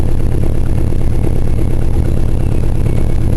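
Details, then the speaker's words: Oldsmobile V8 with a known valve problem, not always firing on all eight, carburetor due for rebuild. It gives a loud lumpy idle with an uneven puffing tick about three times a second: misfire. "because it still has that uh that uh valve problem and it's not running on all all eight at least not all the time"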